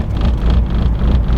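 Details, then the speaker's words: Honda EG Civic after the owner changed its tune file, enabling launch control and possibly an accidental setting: deep, lumpy idle surging and sagging, tach jumping; it won't pass 3,000 rpm and cuts out, cause unknown. "It's just not good. Like if you look at the tach, it's just kind of like jumping up and down. Something here is not good."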